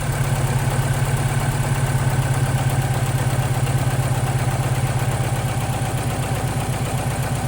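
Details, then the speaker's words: Ford Capri with swapped-in ST170 engine, just wired up: heavy lumpy idle throbbing about three times a second, loping unevenly like a diesel; really rough running, cause not yet known. "Yeah, it's not running well at all. It sounds like a diesel or something. Yeah, it's really rough."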